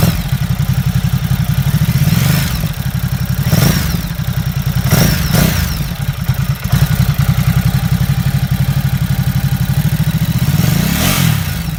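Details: Ducati Supersport engine: a heavy, uneven thumping clatter that follows the engine beat through light revs. Abnormal mechanical clatter, and the owner asks whether it is normal; cause not pinned down.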